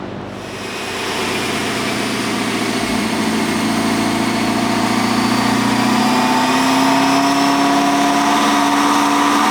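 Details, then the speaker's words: Whipple-supercharged Camaro on dyno, pump gas, 18 psi, 13.5° timing, 965 hp: clear whine rising in pitch with revs over engine drone as load builds; normal Whipple whine. "It, like, as soon as we started it, we're like, what the f is that noise? And called Whipple, and they're like, yeah, it's normal."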